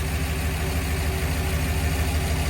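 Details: Truck engine idling after a mass air conversion using a 4R70W-type harness, a replaced bad coil, and timing set; even, steady low rumble with no misses, surges or knocks, much smoother than before, normal idle.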